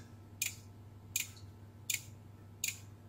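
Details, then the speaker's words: Beko WMB71033S front-load washer control board (MARC00421R) on 230 V: relay clicks "tik tik" repeatedly about every three-quarters second, no display, only an LED blinking; DC bus short circuit traced to the ATmega64A processor. "ekran yok sadece bu led yanıp sönüyor burada ne var bakalım tik tik sesi ve ekran yok burayı açalım"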